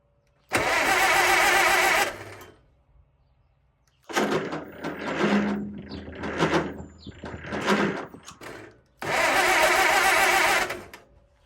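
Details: 1954 Allis Chalmers WD45 tractor after the starter was inspected and cleaned and its Bendix swapped, cranking: two bursts of harsh starter whirring with uneven chugging between them. The starter now spins the engine over properly.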